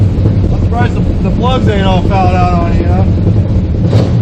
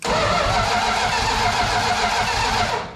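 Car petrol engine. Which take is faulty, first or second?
second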